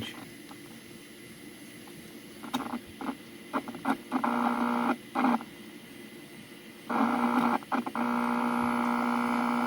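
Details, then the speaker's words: 1941 Crosley B36-BS battery DC radio running from a battery eliminator with a substitute output transformer: radio tone comes and goes over a loud steady hum after a ground wire came loose; hum from a loose ground wire. "there's a problem wire came off the ground came off let's see if I can stick it back in there"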